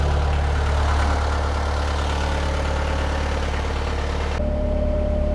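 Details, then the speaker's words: Perkins 4.108 marine diesel started after sitting six years, no load: steady, even four-cylinder chug at idle with no knocks or misses, started right up; oil pressure and temperature good, normal idle. "sounds good oh that sounds great started right up too I haven't ran it in five years or six years"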